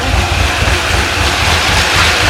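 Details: C6 Corvette Z06 with 441 LSX, started after a heads and cam install once the dry fuel system pressurized: lumpy shaking idle with a light tick under the exhaust rumble, quieter than before; cylinder 8 has a bent exhaust valve.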